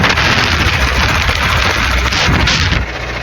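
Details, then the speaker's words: Toyota MR2 engine, reported with cut and ported intake manifold and oil pump work, heard while driving home with the motor failing: loud irregular bangs and pops over a rough roar; motor blown, K-swap planned. "Y'all hear that? Engine good, buddy. Engine good. Toyota, no engine. No engine left."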